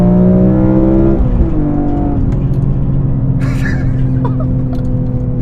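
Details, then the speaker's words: BMW E46 M3 with CSL carbon fiber intake and plenum, CSL ECU tune, Super Sprint race exhaust, heard in the cabin under acceleration: deep intake roar climbing steadily then easing off; healthy engine revving freely. "I can't believe it. It just sounds so good. Like it changed the whole car. Like basically it sounds like a different car."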